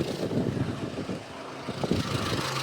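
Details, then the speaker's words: Nissan Be-1 engine at idle after adjustment: quiet, even idle with a soft steady hum, responsive, no knocking or ticking; sounds healthy. "Idle looks good. Engine is very responsive. Good. There's no knocking or"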